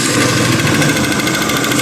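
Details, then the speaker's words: 150cc motorcycle single idling and lightly revved: rapid metallic knocking that mimics a loose connecting rod or piston slap but comes from a worn balancer gear; low oil level can also cause such noise. "então rapaziada vocês puderam ver que o barulho da moto é bem esquisito né"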